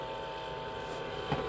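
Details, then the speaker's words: Frigoboat boat fridge after repair work on a condensation problem, with a faint, steady hum and light fan whir. Compressor and fan running correctly, no leak apparent. "Là, on entend le compresseur qui tourne correctement, le ventilateur."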